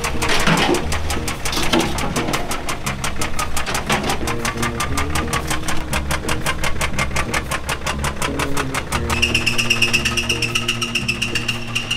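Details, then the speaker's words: 2012 BMW X3 with N47 single-turbo diesel at 105,561 km, well maintained: steady sharp knocking about five to six beats a second; crankshaft bearings suspected damaged, risk of no-start if driven further; replacement with used engine planned. "보시다시피 엔진에서 이상한 소리 소리가나요 관리가 좀 잘돼 있던 차데 쩌다가 엔진이 이렇게 고장이 난 거 같고 소리로 들어봤을 때는 크랑크 메탈 베어링이 손상된 걸로 추측이 돼요"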